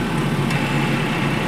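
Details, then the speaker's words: Maruti Eeco at idle with the AC compressor on, after the alternator belt was fully tightened: steady, even idle hum, no belt squeal or chirp; only the AC clutch engaging is heard, engine and belt healthy. "और देखिए बिल्कुल भी इसमें आवाज नहीं आ रही है कहीं से भी चुर चुर की आवाज नहीं आ रही है"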